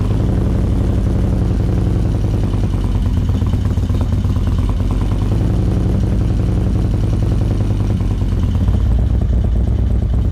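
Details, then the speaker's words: 2024 Indian Roadmaster, ThunderStroke 116 V-twin, just after Lloydz 585 cam install, before ECU flash: loud lumpy idle with fast constant clacking valve-train noise. "I don't remember my valve train being that noisy when I put my 585s in, but then again, my exhaust is so loud you probably don't hear it. But there's some clackety going on here, but we're gonna get this thing flashed and it's gonna run exactly how it's supposed to."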